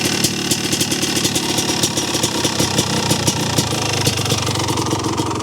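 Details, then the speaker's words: 1985 Honda ATC 250R two-stroke three-wheeler that the owner reports as noisy, idling before engine teardown: rattly, uneven idle with a faint extra knock under the firing beat. Suspected lower-end noise, hard to separate. "I know these two-strokes are noisy anyway, so it's a little hard to tell. But I do hear a noise, a little lower end noise, I think."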